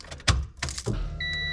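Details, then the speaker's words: Civic with nitrous stroker V6 swap, new ECU: at key-on, clicks and short steady electric hum with faint chime as the fuel pump primes normally and the ECU powers up, after fixing a loose ground. "and the fuel pump Prime so the ECU is coming back on so we had a ground problem but it has been fixed"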